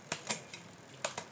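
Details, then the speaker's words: Mechanical rear derailleur on a bike after cable-tension adjustment: crisp, separate clicks as the chain runs through the cassette, with no grinding or chatter, so shifting is normal. "and what we'll do is we'll run through the cassette make sure the gears are working properly which they seem to be"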